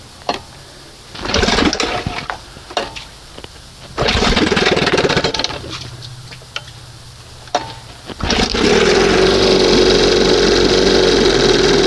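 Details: 1971 Johnson 20 hp two-stroke outboard, warmed up: sputters in bursts, then catches and holds a fast, buzzy idle that won't settle. Owner suspects an air leak, perhaps a seal or the makeshift hose; testing with brake cleaner, not confirmed.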